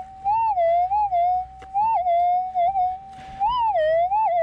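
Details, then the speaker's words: GPX 5000 metal detector coil swept over a small target: a clear, loud warbling tone swells and falls with each sweep, a strong clean target response. "you can hear we've got a really quite a loud little target here"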